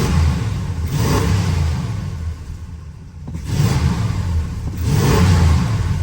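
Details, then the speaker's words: 1979 Chrysler 300 after Thermoquad carburetor rebuild: engine picks up crisply through deep rev blips and settles without stumble or miss; runs well now, though it doesn't cold idle the best. "Okay. It runs awesome now. Doesn't cold idle the best though."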